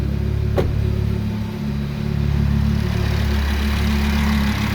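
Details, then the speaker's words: Audi RS3 five-cylinder (DAZA) after engine rebuild, AC on, new hydraulic lifters: quiet, steady, even idle with no knocks or ticks; running smoothly. "all right silent how lovely"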